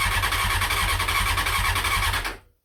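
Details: CBR600F first start after revival, starter bridged and ignition hotwired, half choke, fuel from dummy tank: starter whirs with a squealing edge, engine catches for about two seconds then dies to silence.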